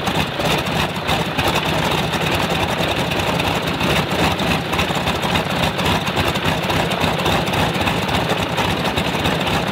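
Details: Stinson L-1 radial, duplex magneto with distributor outputs swapped to isolate fault, runs at low revs with a loud, slightly ragged rumble; fault stays left, left distributor blamed; dead left magneto side.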